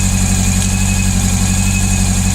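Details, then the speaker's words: Honda CB400 four-cylinder motorcycle holds a steady idle with a lumpy, uneven beat; cylinder 3 is not firing, so it sounds like three cylinders running. "기통 4개 중에 3번 기통이 터지지가 않는데 소리는 아이들 유지는 문제없고 삼기통 소리"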